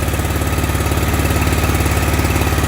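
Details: 2019 Bad Boy Rogue mower with a 993cc Briggs & Stratton Vanguard EFI 37 hp twin at 1.2 hours: heavy, lumpy running with an uneven exhaust pulse, a stumbling misfire caused by a bad ignition coil.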